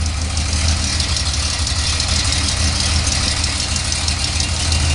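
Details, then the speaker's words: 1974 Datsun 260Z after temporary exhaust-leak plugging, timing set and carbs tuned, extra fuel added: idle still lopes unevenly, about three pulses a second under a hiss, like a hot cam; owner will verify by checking valves. "it's got the carburetors tuned [Music] um was idling pretty slopey like it's got a cam stupid I added some fuel to try and smooth it out but still sounds like it's coming"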